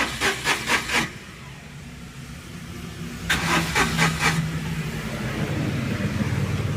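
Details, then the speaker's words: Tata Nano Twist XT that quit while driving, check engine light on: two bursts of steady starter cranking, about two turns a second, and the engine never catches. Diagnosed faulty ECU; a new ECU has been brought in and needs programming. "Start ആവത്തില്ല ഇതിപ്പം. Crank ചെയ്ത് കഴിഞ്ഞാൽ crank ആവത്തേ ഉള്ളൂ."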